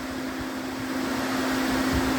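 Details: DA Integra electric radiator fan, newly wired through a 30A relay to the factory OEM fan switch, switch heated: steady even whirring hum at constant low tone; fan running normally.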